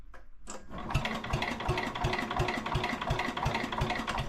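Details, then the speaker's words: 1961 International Cub Cadet Original, 7 hp Kohler single, in neutral: starter turns it over at about three strokes a second with firm, even thumps; compression is good, spark checked next. "I got compression. Let's turn the key on and see if we're getting spark."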